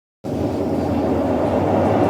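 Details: Brastemp Ative 9 kg washing machine in spin: loud, steady, train-like rumbling roar starting the instant the drum spins, from worn drum bearings.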